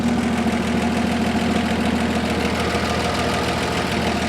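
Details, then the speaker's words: 1966 International 1200A pickup, warm idle with thermostat open: runs smoothly but a light quick ticking rides on top, top-end noise to be checked; owner also suspects a valve cover gasket leak. "still hearing a little bit of top end noise we'll have to check that out"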